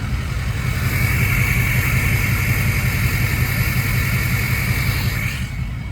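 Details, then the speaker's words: 2005 Ford Excursion Limited 6.0L Powerstroke diesel 2WD, 241k miles, untuned, heard from under the hood. New turbo and 4-inch MBRP turbo-back exhaust. Deep, steady diesel idle with a faint turbo whistle, smooth and healthy. "Guys, this truck sounds phenomenal. Sounds so good. That 4-inch turbo back exhaust and that new turbo sounds really good."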